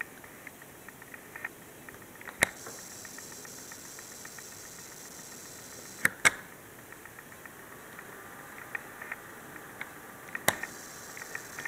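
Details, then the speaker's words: Dell Precision M3800 laptop with SSD, on charger power, just turned on and waiting for BitLocker key: faint irregular crackling static with sharp clicks from under the power adapter plug area; stops when unplugged, pitch varies with screen brightness. "I just turned it on, and you can hear the crackling sound while the system is waiting for a BitLocker key. It's coming from here. The sound goes away if I unplug it."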